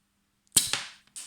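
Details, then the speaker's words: Pneumatic solenoid valve on a bench holding pressure on a gauge, then opened: sharp crack, a second pop and a fading hiss of escaping air as pressure drops very quickly. The valve core was blown out. "You see that the pressure has dropped very quickly. Our core has exploded."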